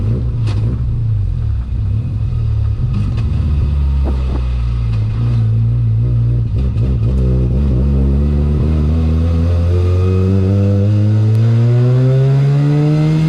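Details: 13B rotary in an E36 ute on a drive after much idling, engine overfuels and plugs possibly fouled: pulls up through the revs with a choppy stumble down low that smooths as speed climbs, a low-rpm misfire; won't idle properly.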